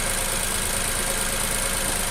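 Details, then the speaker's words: Nissan Almera petrol engine idling evenly after replacing a faulty ignition coil that caused shaking and a flashing light; all cylinders firing normally. "ติดเครื่องให้ดูว่าเครื่องปกติแล้วนะครับเปลี่ยนฮอคอยจุดระเบิดไว้เรียบร้อย"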